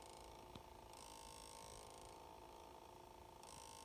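Faint, steady mid-pitched hum goes on with the engine off, no rhythm to it; something still running after shutdown.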